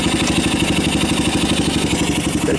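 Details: 1990 Kawasaki Bayou 220 ATV with replaced carburetor, rebuilt recoil starter and good compression, just started: a steady single-cylinder idle with even firing and no misses or knocks; charging the battery, a little smoke. Normal idle.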